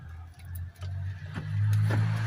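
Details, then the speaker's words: Volkswagen brake caliper rocked by hand under the car gives dull, irregular knocks and clunks from loose play; worn caliper bushings need replacing. "ó a f tá com a folga ó entendeu galera essa aqui ó tem que trocar os embuchamentos dela tá com uma folga tremenda entendeu galera Faz uma barulheira ó"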